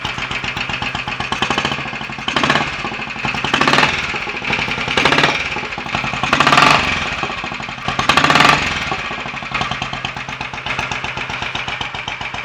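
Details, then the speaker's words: Royal Enfield 500 Bullet, first start after top-end tuning (ported head, reseated valves, new guides, high-compression piston with bored cylinder, retarded inlet cam; standard bottom end): quick, even single-cylinder beat with crisp tappet clatter, running happily; the decompressor cable still needs sorting. "which sounds quite happy new life that I'll run it for a little while get it warmed up"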